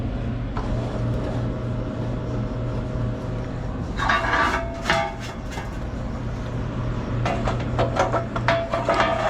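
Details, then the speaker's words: Crown reach-in bottle cooler after the noisy condenser fan motor was secured with tie wraps: an even, quiet hum with no squeal or scraping, airflow now felt, and some clatter from handling. Normal condenser fan running. "as you can see everything is nice and quiet I can actually feel the airflow now which is great"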